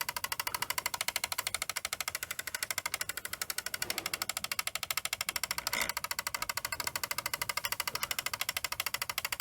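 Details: Fisher CR-W35T double cassette deck, belts already replaced by owner; fast steady clicking about twice a second through the hiss as a gear in the tape drive catches and fails to drive, sounding horrible, before the deck is taken apart.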